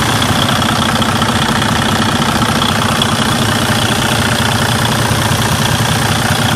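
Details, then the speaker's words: Freightliner Cascadia DD15 diesel after cam housing repair and timing reset for an engine noise: steady, deep idle with an even beat and no knocking or ticking, sounds better than before, no weird noises. "now I'm just going to wrap the enging up there is no weird noises no not in noises"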